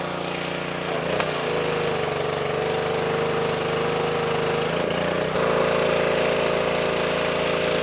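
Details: Simpson 2.4 gallon petrol pressure washer after replacing the pump for lost pressure (unloader repair failed), possibly some air still in line: steady engine drone as pump tone settles and lifts slightly building pressure; working normally.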